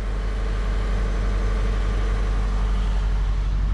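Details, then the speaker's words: 1987 Chevette converted to a manual transmission, clutch taking up in first gear before running through the gears: steady low rumble with no chatter, squeal or grinding as drive takes up; clutch engages cleanly and shifts are smooth. "speedo works in first gear second gear third gear fourth gear oh it's smooth too"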